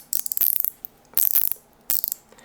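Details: Johnson 230 Crappie-Pro vintage fishing reel during teardown. The spool is turned, giving three short bursts of crisp, even, rapid light ticking. The anti-reverse click works normally.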